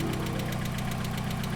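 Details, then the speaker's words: Mazda Miata petrol engine idling hot, hood open: light, sharp ticking about seven or eight times a second over a steady idle; lifter tick, engine non-interference so considered not serious. "that's called lifter tick. This isn't something to be too scared of, considering the fact that this car is non-interference, which means that the pistons and valves they're not gonna kiss basically if your timing is off."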